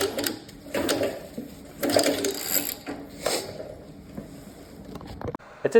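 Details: Nova engine rotated slowly by hand with damper on and all pushrods installed: irregular light clicks and ratcheting taps. Valvetrain clatter; later checks found everything in spec and no mechanical issue.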